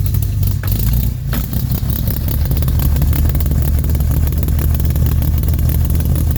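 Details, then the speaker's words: 1969 Jeep Willys CJ5 petrol engine, cold start after sitting about 7 months with recharged battery: short crank then catches into a steady, even low rumble with no misses; runs well, smooth idle. "Runs good. Idle smooth."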